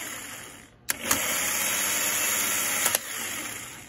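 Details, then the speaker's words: Failing starter motor removed from vehicle and bench-run off a battery, signal terminal fed by a power probe: clunk then thin, high whir for about two seconds, unhealthy and worn out; current draw graphed on oscilloscope. "and you can hear it it does not sound healthy whatsoever it's not having fun"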